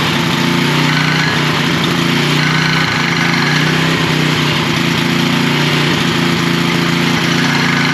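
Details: Troy-Bilt 6.75 HP tiller, model 21A-644H063, engine running steadily after starting with starting fluid: irregular sharp knocks and rattles over the drone from the back side, caused by an overlong guard bolt hitting a moving part.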